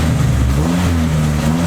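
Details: Neglected Honda EK Civic with suspected vacuum leaks and missing primary O2 sensor: short crisp blip, revs climb quickly and settle cleanly, no misfire or stumble; throttle response pretty good.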